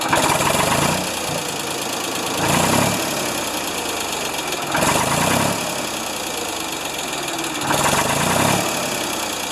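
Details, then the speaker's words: Ford 2600 tractor started after sitting about a year, with one valve still loose and needing adjustment: rattly clatter rises as rpm builds on throttle blips, quiets at steady rpm; reluctant to accelerate. Owner suspects timing rather than a rod bearing; unconfirmed. "you hear that as it's gaining RPM it's got a noise to it and then it quietens down once it gets to a constant RPM"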